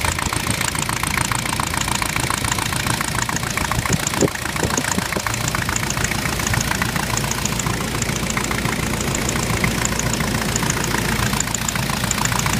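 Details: Jeep with VM Motori 2.5 TD diesel at idle: a sharp, regular knock of about three or four a second rides over the idle, a clear internal engine knock whose cause is not yet found.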